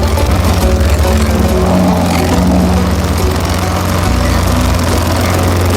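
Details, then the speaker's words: Lawnboy 10761 mower with Tecumseh single-cylinder engine, warm restart after carburetor cleaning, new spark plug and oil change: steady even low putter, no misses or knocks; runs normally, slight exhaust-side vacuum leak suspected. "There we go, guys. Seems good. It runs."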